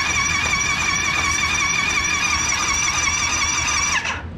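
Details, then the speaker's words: Yamaha YFZ450R after rebuild, with new spark plug, air filter and oil filter: electric start gives a steady, high starter whine, even and smooth for four seconds, engine spinning freely with no binding. "we got to drop some oil in it put push this button it should turn right over wow"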